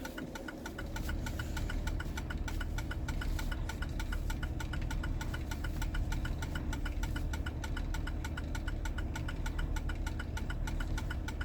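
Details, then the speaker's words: 2004 Jeep Grand Cherokee, started after a front differential fluid change: fast even ticking well above firing rate over low engine drone, only when accelerating, not in first gear; source in the driveline unclear, owner suspects something catching. "case you're wondering yes the rapid clicking is something on your little butt uh yeah it's not normally how it operates"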